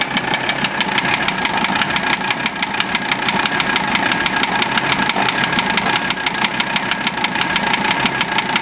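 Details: Warm Mercedes OM617 diesel swapped into a Toyota, idling a few minutes after warm-up: sharp metallic knock over the clatter at roughly engine speed. Valve adjustment and cracking each injector loose didn't change it; owner suspects piston/connecting rod area, source unconfirmed.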